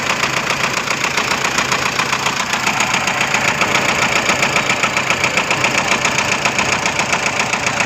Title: Toyota Innova engine knocking